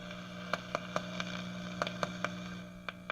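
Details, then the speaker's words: Mains hum from an All American 5 tube radio speaker, mic held close: steady low buzzing that stops when a test capacitor is bridged across the bottom power-supply filter capacitor, proving it bad; both filters to be replaced. "We're going to touch it. There's the hum. Hum is gone. Okay, so that bottom capacitor is bad."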